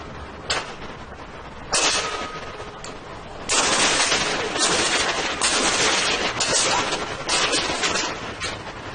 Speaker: in this youtube footage where you will hear and see the effects of water hammer